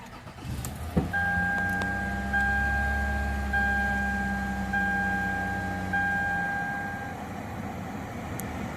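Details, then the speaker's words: Lexus ES350 with about 184,000 miles, bought at impound auction, with tire, ABS, brake, engine and AFS warning lights: brief crank, then catches and settles into a steady, even idle with a faint whine; normal engine start. "But it does start."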